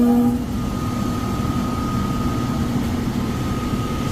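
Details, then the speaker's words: Furnace unit, call for fan not turning on, heat mode: blower runs with heavy rumbling roar and steady hum, shaking in its mount. Tech suspects it is overamping and shutting off; bearings sound clear but loud on startup; capacitor to be checked. "Probably overamping or something. Probably overamping and shutting off. Shaking too."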